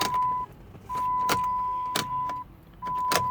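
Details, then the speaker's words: 2009 Chrysler Town & Country with a jump box connected, key turned: sharp single clicks about every half second over a dash chime, and the engine never cranks. A low battery was ruled out and the starter is suspected, not yet confirmed. "Damn. Y'all hear that? Just clicking."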